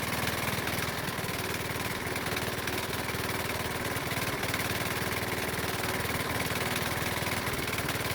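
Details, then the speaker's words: Used Honda lawnmower engine, oil-burning, running after spark plug was found the cause of its no-start: steady fast hard-edged beat with rough knock under the running note — rod knock. "unfortunately i found out that it had a rod knock the engine makes a knocking noise so loud that i have to wear hearing protection"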